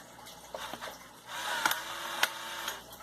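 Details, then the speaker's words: Polaroid Spectra System camera firing after charging to green light: short soft mechanical whirr with light clicks as the rollers turn and eject the print; shoots and loads properly, counter at 7, normal. "como pueden ver efectivamente si está disparando si carga bien todo está perfecto a la cámara que se escucha como los rodillos giran"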